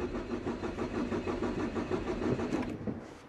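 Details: Car running unmodified on about 3/4 E85 ethanol and 1/4 unleaded, cold start at about 9 am during a cold wave: steady starter cranking with no catch before it dies away. It took four tries to start; very hard cold start.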